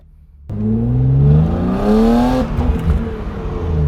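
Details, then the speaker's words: BMW E36 M3 on a test drive after removing a badly clogged factory muffler (muffler delete): strong, clean pull with revs climbing smoothly and no flat spots; engine breathes freely again, normal acceleration. "The whole front end just lifted up and like I felt like it wanted to do a wheelie. But yeah, it pulls good, pulls strong."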